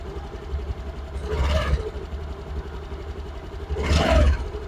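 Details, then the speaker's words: Honda Activa 6G BS6 scooter. Two throttle blips with a harsh, intermittent clattery rattle rising over the idle, coming from the clutch. Intermittent clutch rattle. "इसके अंदर clutch के अंदर से आवाज ए रहा है आप लोगों को आवाज दिखता हूं की कभी-कभी कच-कच आवाज ए रहा है"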